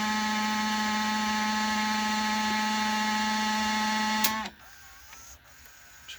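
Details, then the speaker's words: Emerson VCR765 (Orion-made, circa 1990) during fast-forward: loud, steady, high whirring drone for four seconds then cuts off, a scraping noise from the tape transport; owner thinks it's in the mechanism, not the tape, and it feels stiff. "pretty sure that's not the tape but let's try another one just to be certain I'm thinking it's something in here"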